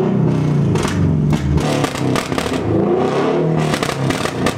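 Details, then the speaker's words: Subaru BRZ on air suspension driving with the broken Tomei ATR titanium catback removed: a loud, deep rumbling drone with crackles on throttle, felt as seat vibration where the mid-pipe ends under the occupants. Drone from the missing catback. "I swear the mid-pipe ends like right over here where we're sitting it'll-it'll I feel my butt shaking it's like a vibrator"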